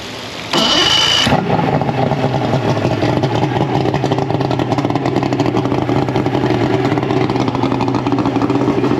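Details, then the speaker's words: Mercury 225 hp outboard after replacing the six-pin stator (it had quit with no spark and stalling): brief crank, then catches and settles into a steady, even run with no misses. Normal running after repair. "That's better. That just sounds like Mercury."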